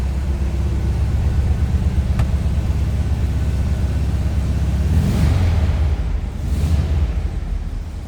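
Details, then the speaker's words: 1967 Volkswagen Transporter Camper air-cooled flat four at idle, in neutral: low, even rumble with steady rhythm, no knocks or misfires; starts every time, slightly cold-blooded; normal healthy idle. "Thing runs great every time I've started it. Slightly cold blooded, but not too bad."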